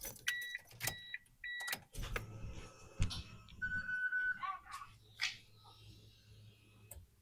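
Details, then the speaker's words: R33 Skyline GT-R RB26 after fuel pump refit for E85 conversion: key-on chimes and clicks, then a steady low hum about four seconds as the pump primes normally, confirming correct voltage; normal fuel pump prime. "right. Well, I heard a prime, which is good. That's what we want to hear."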